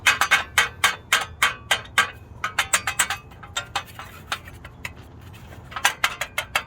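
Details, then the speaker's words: Baja-setup air-cooled engine running cool tins without the stock lower tin; sharp, tinny metal clanks in uneven bursts as a loose cool tin rattles; fixed by wiring it with a coat hanger to the upper cylinder tin. "they rattle a lot a pain in the ass there's one installed oh yeah"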